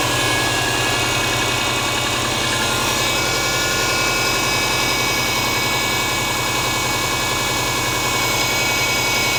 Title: Стук мотора субару EJ20G